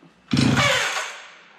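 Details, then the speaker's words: Stihl 031 AV chainsaw, about 1974–76, unused about 5 years, fresh gas-oil mix: one quick recoil pull with a short raspy spin-over that fades without firing; turns over but won't start, rewind sluggish. "hold the trigger down and we'll see if it'll start"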